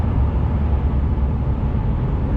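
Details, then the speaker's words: 25-year-old Jaguar XJ6 X300 straight-six, garage check apparently showing no technical issues, recorded inside while accelerating past 3,000 rpm: low, smooth drone pulling evenly with no knocks, rattles or whine; normal engine under acceleration. "um so yeah you passed three thousand in this one and it really gets into its power"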